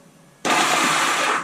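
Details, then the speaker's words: 1978 Honda Gold Wing, on a jumper box after years sitting: a high, smooth whir for about a second with no compression beats. The starter spins without turning the engine because the starter clutch is slipping. "turn on the ignition key there's lights it turned over yep the starter clutch is spinning"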